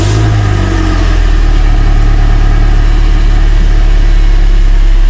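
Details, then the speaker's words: Car running after undercarriage parts were temporarily secured with washers and a bolt: a steady low engine hum with no tapping or rattle from underneath; the rattle is fixed. "so as you can tell, there's no noise. That's a nice fix, even if it's not permanent."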